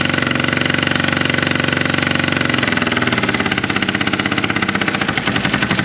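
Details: Polaris RZR 900 fuel-injected twin, plugs cleaned and regapped to 0.030 in: rough, uneven chuffing and popping around 140 per minute that lurches and stumbles, blowing back through the intake; owner suspects a valve not closing, later traced to a broken camshaft.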